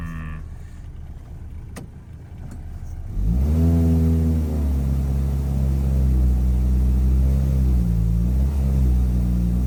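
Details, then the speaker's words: Toyota 2.4L truck at full throttle after the code was cleared and a loose distributor wire was fixed: pulls to a flat droning note and never climbs further, bogging and down on power; poor acceleration, cause suspected (EGR valve/catalytic converter). "It's still doing the same exact thing. Like that's floored. That's floored."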